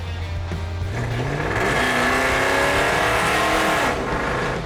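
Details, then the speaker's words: 1976 Dodge 3/4-ton pickup pulling away: a loud, throaty exhaust climbs smoothly in pitch with no misses or rattles. It is a healthy, good-driving truck, just very loud. "that's going to alert every cop within 3 four miles that's loud that is wow"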